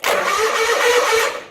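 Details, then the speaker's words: John Deere 317 garden tractor after fitting a new starter (part 410 21021): brisk, even whirring crank with no drag or hesitation; the starter now cranks fast. "so let's give this a quick test here before we get it all back together and find out if it wasn't the starter cranks fast now"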